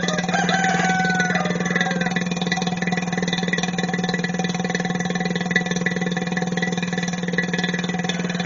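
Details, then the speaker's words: Chevy truck A/C system after compressor and accumulator replacement, vacuum pump pulling down the system: steady low drone with even pulse about four a second, getting quieter as vacuum builds; normal vacuum pump pulldown. "you will hear it get quieter as it starts to pull a vacuum in the system. Here it's starting to get quiet."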